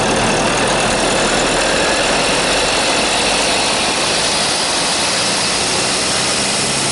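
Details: Vauxhall Insignia B 2.0 CDTI 170 diesel, 68 plate, at idle: hissy, high-pitched squealing whine over the diesel clatter; owner suspects the turbo, source not confirmed.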